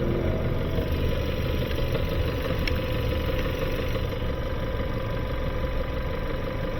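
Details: 2018 Kia Sorento, just past 100,000 miles, smoking, at idle: dull, muddy, heavy uneven knock in the low end; internal engine knock with blow-by past the piston rings, engine found blown, needs towing and teardown.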